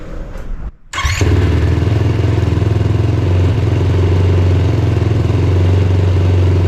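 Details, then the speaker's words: Yamaha YFZ450R XC race quad on 24-volt kit, started on a warmer day after a brief warm-up (earlier cold ~30°F trouble was just insufficient warm-up): brief crank, catches within a second, strong even single-cylinder thump; normal quick start. "So as you can see, 24 volt setup works just fine. I just didn't give it enough time to warm up. She starts really quick, so back to the video."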